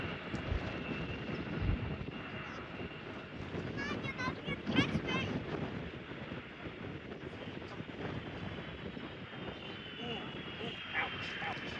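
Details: DHL Boeing 757 landing at CVG with the #2 engine thrust reverser inoperative: jet roar on the landing roll with an uneven, wavering reverse-thrust sound.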